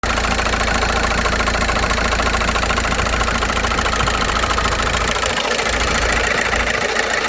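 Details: VW Passat B5.5 1.9 TDI diesel at idle after standing a month without oil and an oil pan replacement: loud sharp ticking, about 3.5 per second; lifters and cam seem okay, revving to 2500-3000 rpm didn't help.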